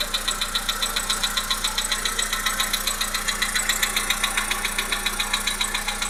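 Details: Volkswagen Polo Sedan with 1.6 CFNA engine: crisp, evenly spaced metallic ticks of about 2.5 per second over a steady idle; engine knock, source unconfirmed.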